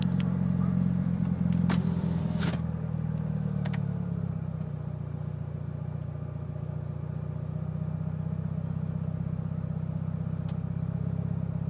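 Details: Mitsubishi Evo VIII with cams, tuned, clean MAF intake, regularly serviced: low idle with an uneven, lumpy beat and wavering rhythm; rough idle, cause unknown.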